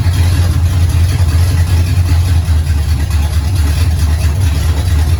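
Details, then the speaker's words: 1969 Pontiac GTO barn find, 400ci V8 with TH400 transmission needing rebuild, fed fuel from a jar: deep, even rumble with steady low pulse and no knocks or ticks; engine runs healthy. "uh it sounds good likes the gas"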